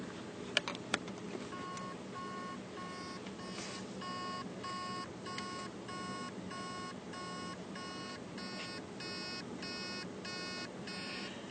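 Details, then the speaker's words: Hard drive powered on: steady electronic beeps about twice a second as the motor tries and fails to spin the platters, most likely heads stuck to the platter (stiction), possibly a seized bearing. "can hear the beeping noise that's basically the motor is trying to start the platters and it can't and it's most likely because the heads are stuck on a platter"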